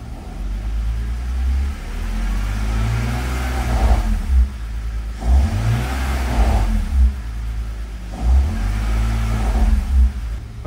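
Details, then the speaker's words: 2001/2003 manual car, neutral with clutch out then clutch in and revving: heavy low rumble rising and falling with revs, virtually gone when clutched; owner suspects transmission internals rather than engine, planning to drain oil and transmission fluid for metal. "when you do clutch it it goes away so that's why I don't think it's engine"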